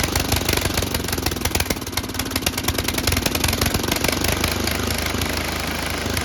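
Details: Tecumseh HM80 engine on an MTD Snowflite 8X26 snowblower, started after a carburetor replacement and priming: a single cylinder runs steadily with a fast, even ticking beat and mechanical clatter, with no misses or surging. Normal running.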